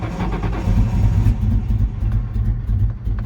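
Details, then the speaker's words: 1999 Ford Mustang GT 4.6 five-speed, sitting for years, started on starter fluid with tank near empty: fires briefly, then an uneven, missing rumble surging and sagging about three seconds; rough running. "oh it doesn't sound good though let's try that again a little bit more starter fluid"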